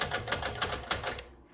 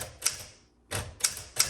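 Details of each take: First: 1961 Smith Corona Sterling manual typewriter: carriage clatters in short sharp clicks and halts every couple of places instead of running to the single tab stop; tabulator not working properly. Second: 1961 Smith Corona Sterling 5A typewriter typing: crisp even key strikes at brisk pace; typing action good though somewhat noisy and grindy.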